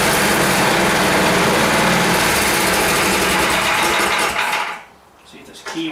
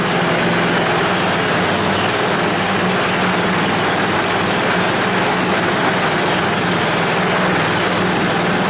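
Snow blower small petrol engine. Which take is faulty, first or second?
second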